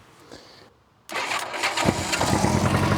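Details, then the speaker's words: Old Honda Gold Wing with good battery and starter and an unseized engine. With the fuel turned on, the starter is shorted with a screwdriver: a click, then it catches at once into a busy idle. The start switch is suspected faulty, and petrol is leaking. "Well, that's good then. So, engine still runs good on this one. So, there's something wrong with the start switch."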